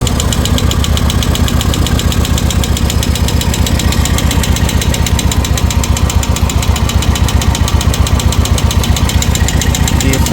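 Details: Royal Enfield Classic at idle: sharp even tik-tik about four per second over a steady thumping idle; hydraulic lifter problem and excessive valve play, guides to be changed, piston also badly worn.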